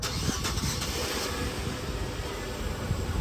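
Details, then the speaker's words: Wrecked Nissan Sentra bought at auction, believed not to run: engine cranks, catches quickly and settles into a steady smooth idle with no stumble or knock; runs really good. "It runs really good."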